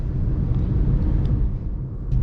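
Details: Manual car driving at moderate road speed with a low, even, unstrained engine rumble after shifting up from second to third gear above about 50; normal engine note in the correct gear.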